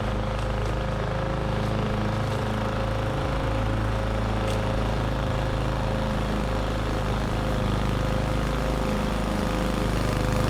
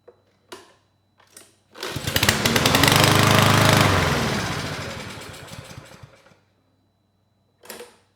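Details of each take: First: Roadside-found lawn mower, model 11A-B2M7031, after draining and cleaning the carburetor for bad fuel: starts first pull, steady, even, fairly quiet drone with no misses or surging while mulching; normal running. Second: Roadside-found lawn mower, model 11A-B2M7031, given carb spray: it cranks, fires and runs evenly about four seconds then dies, showing timing, spark and compression are good; runs briefly on starting fluid, fuel delivery fault, likely bad fuel and carburetor.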